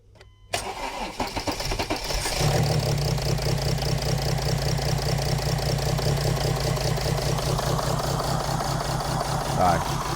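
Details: Mercedes CLS 320 CDI 3.0 V6 diesel idling with injector number 1 disconnected to test a misfire: lumpy, uneven beat, about two or three stumbles a second from the cut-out cylinder.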